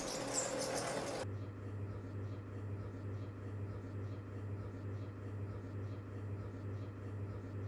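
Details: F-MY14S ceiling fan with a steady low electrical hum and a faint squeak repeating about twice a second, attributed to a faulty capacitor and bearing; fixed by replacing both.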